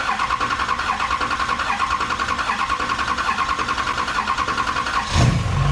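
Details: GM LMM Duramax diesel truck, first start after engine replacement: about five seconds of steady, even cranking, then the diesel fires and catches cleanly with no stumble; healthy start.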